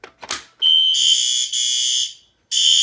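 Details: Fire alarm system test: loud, shrill, steady horn tone in bursts, cutting off briefly and resuming, alongside a red strobe, with the horn sounding as it should.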